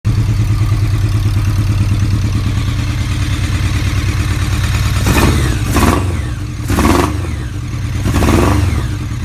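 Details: Kawasaki ZRX motorcycle idling low, then revving with uneven, stumbling bursts from a misfire.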